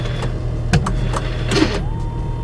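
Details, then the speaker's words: 25-year-old C4 Corvette at idle: irregular quick clicks and short motor whirs as the door lock actuators cycle constantly, caused by a faulty door ajar switch losing contact. "but if you can hear it the door locks are trying to cycle constantly"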